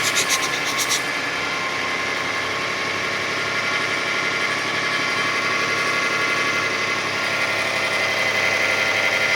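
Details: 2005 Kia Sedona 3.5L V6, 116,000 miles, on high idle about a minute into warm-up after new timing belt, tensioners, idler, water pump and harmonic balancer: quiet at start, then a thin, high-pitched rhythmic chatter of about four beats a second appears; cause unidentified.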